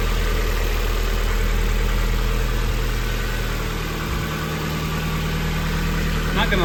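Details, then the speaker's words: NB Mazda Miata, 124,000 miles, running after being hot-wired: steady, even idle with a smooth low thrum and no knocks or misses. The engine sounds healthy. "it sounds pretty healthy"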